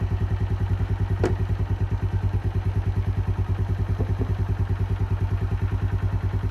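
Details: Keeway 125cc with Suzuki GN/GS engine, running after a replaced battery cured the no-start: steady, even single-cylinder idle with soft pulses around three per second, no knocks or rattles; sounds healthy, normal idle.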